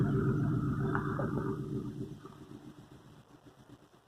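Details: 1964 Ford F350, 60,000 original miles, revived after years parked with new belts, hoses, thermostat, battery, points and an unadjusted aftermarket carburetor. Even, steady low rumble at light throttle, fading as the truck moves away; it runs smoothly.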